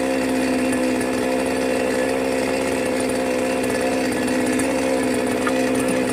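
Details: New Magnum G11 chainsaw, fresh out of the box, holds a rough, buzzy mid-pitch drone that never climbs on throttle; it is starved and bogging.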